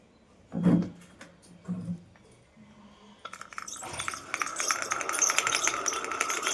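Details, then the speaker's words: Ceiling fan running: steady hissing whirr with constant mid-pitched whine ("chuu" sound), attributed to a bad bearing, before bearing replacement. Ceiling fan bearing noise. "ल यसमा स्टाज आइरहेको छ। र यसमा हाम्रो जहाँ सम्म हाम्रो बेरिङको प्रब्लम छ यसको बेरिङ चाहिँ हामी चेन्ज गरेर हजुरहरुलाई देखाउने छौ।"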